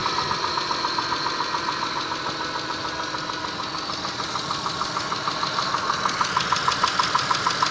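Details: 6A13 engine, slightly warmed, idling, recorded in the car: sharp, regular ticking knock about three times a second, growing louder as it runs; warm-engine knock, cause unknown.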